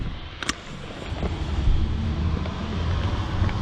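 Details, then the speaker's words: Newly installed 5 kW diesel heater in a long-wheelbase Sprinter van, first run: low, steady rumble with soft rushing air and audible exhaust, no knocks or rattles, blowing hot air through the ducting with no errors; running normally. "because it's clean, but you can hear the exhaust now."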